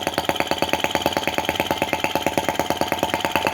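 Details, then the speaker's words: Brass half-tracked Lanz-type T16B model tractor on its first run, set on the floor. Quick, crisp, even beats of roughly a dozen a second with no misses or rattles. Owner worries there is too little oil because little smoke leaves the smoke box, yet it sounds normal. "Gin, this is amazing. I love the sound. I love the speed. That's absolutely perfect for me. I don't want this thing going fast."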